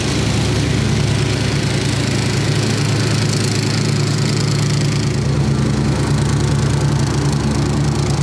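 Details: 1990s Snapper riding mower, Briggs & Stratton single-cylinder, carburetor rebuilt years earlier, new fuel filter, shut-off switch and air filter, sat for years: fairly steady low chug at idle, no knocks or misses; healthy normal idle.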